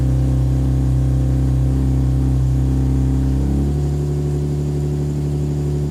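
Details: Nissan 370Z with the rattling stock exhaust replaced by a NISMO true-dual exhaust and 1320 Performance test pipes. The exhaust drone is strong and even, holding steady through the revs and settling smoothly with no rattle. It is louder and deeper than stock and healthy.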